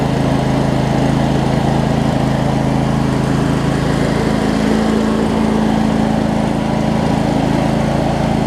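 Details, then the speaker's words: Craftsman DLT 46" riding mower, 25hp Briggs and Stratton V-twin, first run after sorting basketcase wiring: steady, even drone at constant speed, no misses, knocks or surging; runs good, some smoke burning off around valve covers. Normal running. "go back yes these blades are Hey and that v-twin runs good that's some smoke to burn off though"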